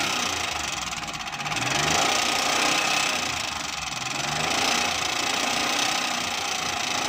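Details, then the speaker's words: Car engine running at idle, listened to with a stethoscope-type listening tool: fast loose ticking of three or four taps a second over steady idle, very loud; noisy tappet from excessive valve clearance. "दोस्तों यह बात हमने check किया इसके पापड़ की आवाज़ ए रही है बहुत तेज आवाज़ है कानों से"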